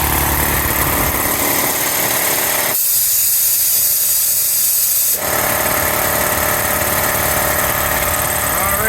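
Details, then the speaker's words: Newly installed shop air compressor, replacing a 37-year-old unit, running until it shuts off, room gauge possibly inaccurate: loud steady motor and pump roar at an even level, no knocks or rattles; normal running. "right we going to let him run till he shuts off"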